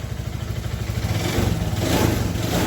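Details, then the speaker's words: Suzuki Nex fuel-injected scooter before teardown, heavy white smoke: uneven, lumpy, very rough running with loose clatter under the exhaust note, revving unsteadily; destroyed piston. "Sepeda ini mengalami kondisi kengebulan ya. Dan kemudian suaranya itu kasar sekali. Suaranya itu atek gitu."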